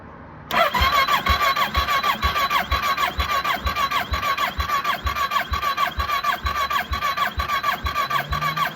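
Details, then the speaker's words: Kawasaki ER6 motorbike with a misfire, compression test while cranking: steady rhythmic chug about two beats a second, starter whirring evenly; gauge reads 125, slightly low versus about 130–139 expected. "125. it is a bit low it's a bit low I think there's meant to be about 1 30 139"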